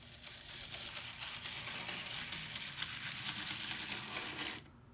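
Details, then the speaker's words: Older three-gear Bachmann 0-6-0 model locomotive running: harsh, gritty grinding and rattling throughout, stopping when it shuts off; broken gears binding, cannot run slower. "it's notorious for broken gears so i'm gonna run this for you so you can see what broken gears sounds like"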